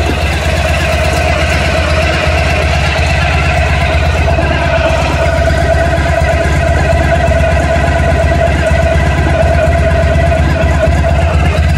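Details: 1991 Honda ST1100 motorcycle noticed at idle during an oil change: steady idle with a light metallic rattle over the low exhaust pulse, coming from up front near the engine; not audible with a helmet on.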